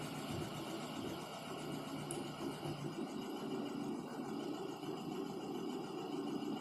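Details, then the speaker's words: Lada Kalina, 70,000 km, right front wheel raised, first gear, steering straight, brake applied to load the drive: engine labours and nearly stalls, steady hum with no knock from the front axle; drive joints sound fine in this test. Owner suspects right outer CV joint. "машина практически глохнет никаких стуков нету"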